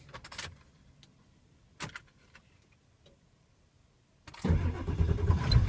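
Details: 1995 Ford 7.3 Powerstroke diesel, warm restart after driving, following injector pressure regulator O-ring replacement: a few clicks, short pause, then prompt catch and steady clattering idle; IPR duty cycle about 28% cranking; warm start now healthy.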